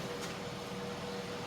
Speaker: Mas malakas siya. kasi mataas yung voltahe eh. 7.4 volts eh.